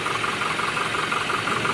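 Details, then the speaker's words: 2019 Toyota Hilux 2GD diesel idling after a timing chain repair: steady even light clatter, with the earlier internal engine noise gone. "So yung ingay sa loob ng engine ay wala na."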